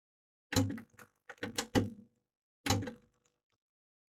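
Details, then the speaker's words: Aiwa AD-F810 3-head cassette deck at power-up: irregular clusters of sharp solenoid clicks and thunks with no motor whir or tape transport. The drive belts have turned to goo; the deck needs a full set of belts and its idler wheel checked. "We'll power it up. Don't hear any motors spinning or anything, which is a good sign, doesn't mean. It's not actually doing anything though. You can hear the solenoid going."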